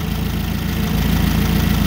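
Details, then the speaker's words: Nissan forklift K21 engine at idle: heavy lumpy idle with uneven low beat; cylinder one misfiring from an ignition coil with shorted primary, found with amp clamp, likely cause of failed catalytic converter; coil to be replaced. "so this cylinder number one coil is has a shorted primary and we're going to replace the coil and that should take care of that misfire and we should not damage another catalytic converter"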